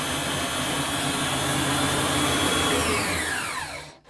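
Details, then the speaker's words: Clarke 12-inch three-wheel bandsaw after replacing the tracking wheel bearing with a cheap bearing, blade now easy to track: loud, even whir holding steady with no knocks or rubbing, then winding smoothly down at switch-off; normal running. "I'll put the saw on a sec just so you can see it working, but it's quite noisy, so I won't leave it on for long. Hang on, excuse the So there we go, seems to be working okay."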